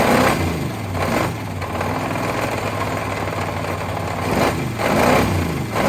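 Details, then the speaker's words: Long-parked parts truck, first run on gas with two-stroke mix added to cylinders: rough idle with deep, uneven bottom-end knocking, suspected broken or spun rod bearings, likely more than one; rod knock. "i'll be dead it has a lot of bottom end noise for sure uh i don't know oh man that sounds like there is definitely some broken or spun rod bearings not just one but a couple"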